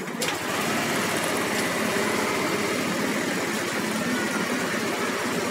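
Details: Yamaha Aerox scooter with a DSS smart-key alarm, started by the starter button with the brake lever pulled: fires up quickly into a steady, smooth idle hum with no knocks or rattles; normal idle.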